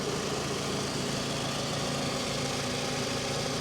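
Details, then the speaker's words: 2007 Toyota RAV4, 180K miles, salvage auction walk-around, hood open: smooth, even idle hum with no knocks, ticks, misses or exhaust leaks; engine sounds healthy though the battery needs replacing. "that thing's about as smooth as you can get [Music] yeah sounds good plenty of room back there no exhaust leaks nothing"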